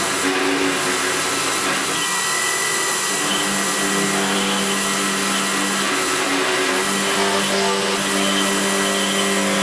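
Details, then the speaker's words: CNC router cutting a laminated hardwood handle: buzzing, wavering vibration over the spindle whine, chatter from running the cutter too hard for the spindle. "that last cut that I did you can hear the chatter it really was running that cutter too hard"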